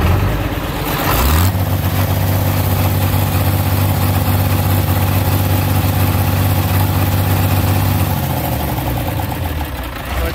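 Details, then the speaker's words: Galion 503 diesel, warmed up about half an hour, revved up with Sea Foam added: deep drone at raised revs with a slightly uneven stumbling beat and puffs of smoke. Intermittent high-speed injector miss, injector not yet identified; oil pressure good. "have an intermittent cylinder and we're gonna we're gonna see certainly no harm in running the sea foam so let's see what's going to happen"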